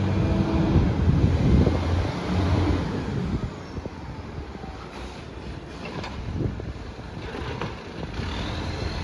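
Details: Garbage truck SL01400 in Mandurah on Good Friday, deep loud low rumble as it pulls off, fading over street noise; massive exhaust leak.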